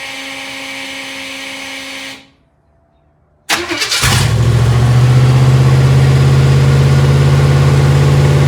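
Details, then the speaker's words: 1955 Chevy Tri-Five barn find with V3 Vortech supercharged V8, restarted after adjustment: catches at once and settles into a loud, fast, steady idle with no misses; sounds healthy, with a bit more punch. "hear that thing hard up. It's got a little bit more punch to it."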